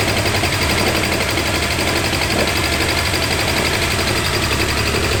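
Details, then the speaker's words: 2006 Subaru Outback EZ30 3.0 flat-six, automatic, low kilometres, cylinder 4 misfire code P0304: fast sharp ticking with rough uneven running; coil pack suspected but cause was valve spring retaining clips come off into the rocker cover. "The car is back home, my can-do attitude is equipped, my Subaru mechanic mates are on speed dial, and this horrible ticking sound."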